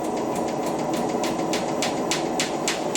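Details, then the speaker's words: Hotpoint WMXTF 942 washer on Cottons 90°C boil wash: sharp knocks about three a second as the wet drum tumbles slowly, with the machine repeatedly failing its balance check and extending the spin. "drop on the beat there we go balance Jack's gonna fail again"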